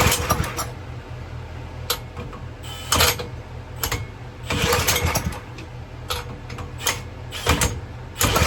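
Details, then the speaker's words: 2000–2005 Power Clean 2000 PSI pressure washer with 3.75HP Briggs & Stratton engine, primed with brake cleaner: repeated pull-starts, each catching with sharp pops then dying. Suspected fuel starvation once the primed charge burns off. "See, look now, now it really wants to fire off."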